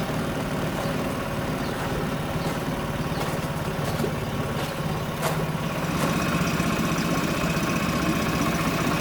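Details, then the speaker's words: Yamaha 25HP EFI four-stroke outboard, cold start running in a bucket of water: quiet, even idle with a soft, steady beat and light water splash; smooth and healthy. "let's listen to the cold starting of the two outboards running in a bucket of water"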